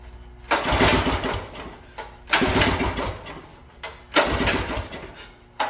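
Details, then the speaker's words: Mini bike engine that puffed smoke and hasn't fired since, owner fears it is dead: three pull-start attempts about two seconds apart, spinning over with a rough rasp but never catching; crank, no start. "puffing out some smoke and now it won't start so I think I may have killed this thing"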